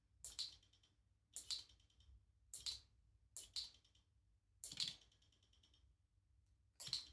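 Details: Brand-new Shimano RD-RX825 GRX 12-speed Di2 rear derailleur bench-tested before installation: crisp high ticks about once a second after shifts; Shimano confirmed this is normal stock behaviour.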